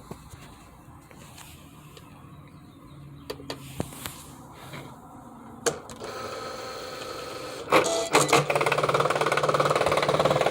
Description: my machine isnt cutting or loading the matt. also makes loud noises when turned on and cutting.